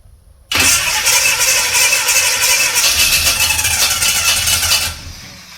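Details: 1969 Chevrolet C10 with a 396 big block that had sat for roughly 20 to 28 years. About four seconds of steady starter churning at roughly three beats a second, with no firing or catch. Cranks but won't start; they suspect the timing is off, possibly too advanced.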